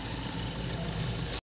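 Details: 2013 Mahindra Scorpio mHawk diesel after a full engine overhaul done for heavy blow-by (back compression); oil fumes gone afterwards. Steady, even idle clatter with a firm low rumble and no uneven beat: healthy post-rebuild idle.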